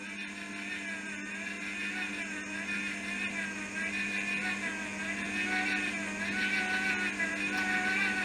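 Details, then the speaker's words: MIG welder wire feed motor at power 3, no earth attached, not welding: thin whine wavers unevenly and slowly climbs in pitch instead of holding steady; owner says wire speed motor is inconsistent, cause not confirmed. "can hear it getting faster. Now, if I take the feed off, so it's not feeding the wire now, let's turn the wire speed down, go down to a lower welding so we can actually hear the wire feed motor."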